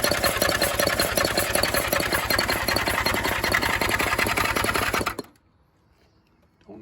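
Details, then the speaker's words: 1976 motorcycle that sat about ten years, after new timing belts, valve adjustment, points and rebuilt carbs, choke out and gas sprayed in: fast even cranking with a metallic clang high near the carburetors and no firing; the clang is gone with spark plugs out. "know what that metal clanging sound is it sounds like it's coming High here by the carburetors"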